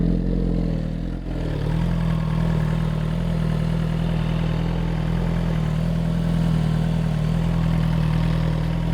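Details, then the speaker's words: Motorcycle at idle, noise reportedly getting worse every ride: steady idle with a fast light tick about four a second riding on top; rider suspects an exhaust leak starting again, not confirmed. "It makes a lot of noise, but I definitely feel like I hear like a like tickier tick to it. I don't know. I could just be having an exhaust leak starting again."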